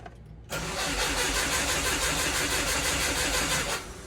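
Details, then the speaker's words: 1997 Subaru Impreza Outback Sport with a 2004 WRX turbo engine swap, restart after correcting jumped timing. Even cranking at about three beats per second, then catches and settles to a smooth idle with good oil pressure. Normal start; the timing belt still needs replacing. "sounds great good oil pressure I think we're back in business boys and girls"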